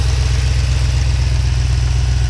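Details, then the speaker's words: 2014 Jeep Grand Cherokee SRT, warm idle while installing an AFD ProFlex Commander E85 conversion kit: deep, steady V8 idle with even pulse, no misses or surges. It starts right away now that fuel flows through the line, with no leaks or engine lights. "sounds like it's running normally this time it starts right away because there's now fuel going through that line"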